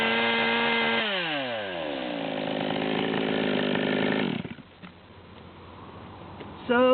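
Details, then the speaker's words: Stihl chainsaw at about the '138' high-speed reading, before cutting and leaning the high-speed screw: full-throttle note blubbers and burbles unevenly, four-stroking; carburetor out of tune, too rich. "you can hear this thing's blubbering really bad at the 138 number we'll make a cut or two then we'll get it tightened up and check it out"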